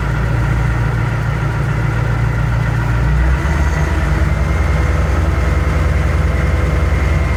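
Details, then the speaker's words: Ford L8000 truck crane with what is believed to be a Cat 3208 diesel, unrun for four to five years, started on a jump pack: deep, even diesel clatter settles into a steady idle with no misses, knocks or hunting; normal start and idle. "Oh. Oh, that was easy. Okay, I guess you will start."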